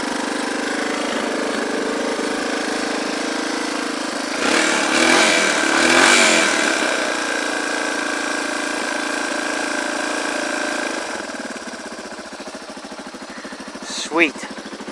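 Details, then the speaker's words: Small engine idling just after starting following a week unused, battery revived with Epsom salt: steady rapid putter with a brief throttle blip midway, then settling smoothly; healthy idle. "Definitely ready to go. Yep, my battery trick worked with the Epsom salt, so that's awesome."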